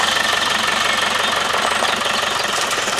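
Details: Engine starting after body rebuild and major engine service: fast, fairly steady patter with busy hiss on top and no heavy knock; normal running.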